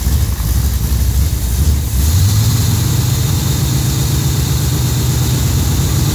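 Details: Pontiac engine with Quadrajet carburetor during choke pull-off adjustment: low, slightly uneven idle settling after a brief stumble; choke pull-off seems to need more adjustment. Cause suspected, not confirmed.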